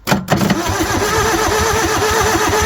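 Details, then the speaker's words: Bobcat 743 skid steer diesel after water was added: even cranking at about four pulses a second with no firing or catch; it won't start, and the owners think the cylinders are full of water and want starting fluid. "She ain't hitting, Clay. No. We need to start fluid."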